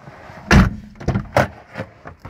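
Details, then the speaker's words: ZAZ Chance car door opened and shut repeatedly after cleaning and working the squeaky hinge with throttle body cleaner: only clean thuds and latch clicks, no creak or squeal, and the squeak is gone. "никаких писков, визгов уже нету."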